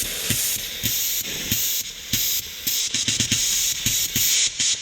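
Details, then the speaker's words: Bosch CP3 fuel pump (dated 8/2022) from 2009 6.7 Cummins, solenoid removed and bench tested with battery and air: air hisses through in bursts that stop dead each time the solenoid clicks on; seals fully, good solenoid. "when I use my mouth it dead stops like it when I energize this I can't get any air out of there so that's a good solenoid"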